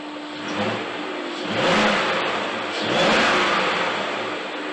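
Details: 1999 BMW 540i E39 with a used M62tu V8, first start-up after timing chain guide and tensioner replacement for start-up rattle and camshaft codes; engine revs up and settles smoothly with no chain rattle; run kept short because cooling isn't working yet.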